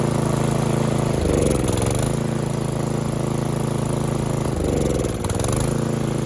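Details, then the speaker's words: Snowblower single-cylinder engine after electric start hunts and surges, dipping twice as it nearly dies; it runs only on full choke; clogged carburetor, carb to be removed for a full clean. "Looks like the carburetor is going to have to come off. We're going to have to do a full clean, not just a jelly in it, because anything other than full choke, it won't run."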